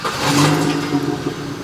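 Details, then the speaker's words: Budget first car bought for under £700, idling with the heater on full: a tinny metallic rattle, likened to being fuelled with nails, sits over a thin idle hum; source not identified. "Why does Norton's car sound like it's being fueled with nails? It does make a weird rattling It's sound, like a doesn't it? tinny noise."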